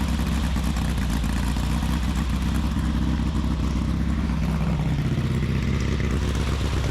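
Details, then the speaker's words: 1835cc air-cooled VW Beetle rally engine with a Fuel link ECU, after oil-leak repair with new O-rings. Steady, even air-cooled flat-four putter at idle with no knocks or misses; running healthy with no leaks. "Starts right up and no leaks. I think we're good to go."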